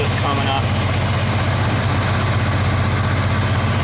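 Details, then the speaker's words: Engine at idle with a loud, sharp puffing tap on each exhaust beat: an exhaust leak at the blown center-cylinder port of the manifold, fixed by tightening the manifold. "we've got a pretty big vacuum knee I mean a exhaust leak over here somewhere you can hear it tapping her which cylinder it is somewhere over here"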